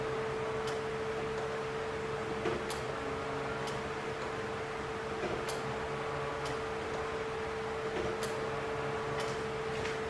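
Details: 1989 Dodge Daytona ES salvage-yard car: faint steady mid-pitch hum under light ticks as key is cycled on and off to prime; electric fuel pump priming normally before first start attempt.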